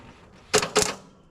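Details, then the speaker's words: Long-idle Dodge truck, after pulling and reassembling the starter, a new solenoid still untried: two sharp metallic clicks about a quarter second apart, no cranking follows. Solenoid engaging but starter not turning; a new starter motor is needed. "Something's moved. Okay. All right, guys. We didn't have wind today. Um, got out here pretty late. Only got a couple hours to muck around with it. And we didn't really get anywhere except for the fact that now we need, well, now we know we need a starter motor."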